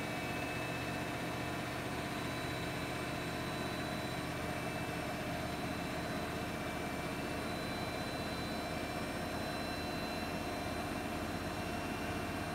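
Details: Siemens iQ300 8 kg 1000 rpm washing machine on spin program, extra rinse off, wet laundry loaded, spinning at about 1000 rpm: smooth steady high-speed whirr, no knocking, banging or grinding; normal spin, no fault.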